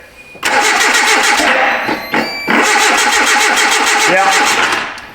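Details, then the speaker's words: 2010 Hyundai Accent, recurring no-start after starter and front O2 sensor replacement: even starter churn about four seconds with a slight cough but no firing; crank no start, no control to injectors or ignition coils. "So, we have no control to the injectors. or to the ignition coils. Very interesting."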